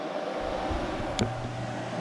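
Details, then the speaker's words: 2004 Arctic Cat 500 TBX ATV, engine hot, key on: after a brief clunk a quiet steady hum as the radiator fan runs normally; overheating fixed by replacing the blown 15 amp fan fuse. "Okay, so the fan finally came on. There you hear it. So as long as the key's on and it's hot enough for it to need the fan will run."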